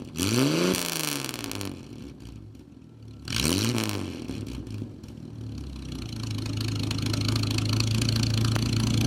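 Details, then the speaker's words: Nash, positive-ground car: two quick throttle blips swinging up and settling back, then a steady, even idle with a deep low burble; healthy, normal exhaust note with revving. "doesn't that sound cool little back rout so now you know how good she runs"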